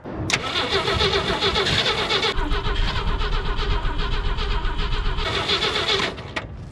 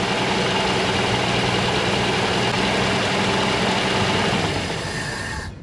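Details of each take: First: 1964 Jeep Wagoneer with a Chevy rotor fitted and spark confirmed: steady starter churn about four turns a second, engine spins but won't catch; fuel starvation, so gas is poured in. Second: 1964 Jeep Wagoneer after cold start with choke: fairly even idle with steady beat and no obvious lifter tick, then dies down at the end; runs reasonably well.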